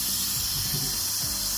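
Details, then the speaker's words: Heating pipe under pressure test, leak located with hydrogen tracer-gas detector: steady strong hiss of water spraying out; burst at a pipe connection fitting, two burst spots found and replaced, pressure then held at 2.5. "이쪽에서 터진 거 같아요. 여기 몸 물기도 있고."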